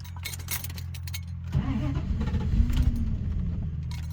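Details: 1990 Dodge Ramcharger dying on the drive home: steady low engine drone, then uneven starter churning with no clean catch; it cranks but won't fire, owner suspects it ran out of fuel; fuel pump still audible.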